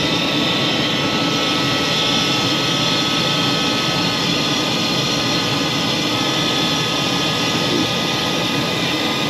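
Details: Carrier furnace after circuit board replacement, firing with hot surface igniter: draft inducer motor gives a steady loud airy roar with a gritty edge; motor sounds like it is going bad.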